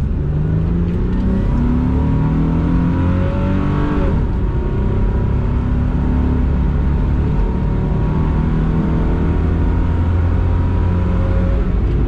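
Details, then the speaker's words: 1999 Isuzu VehiCross, warmed up, full-throttle pull: engine pulls hard, then stumbles and dips about halfway before recovering; misfire-type hesitation and bucking under wide-open throttle, with coil packs and plugs to be checked next. "we can do a couple full pull runs and you guys can hear it Miss or uh see the attack move"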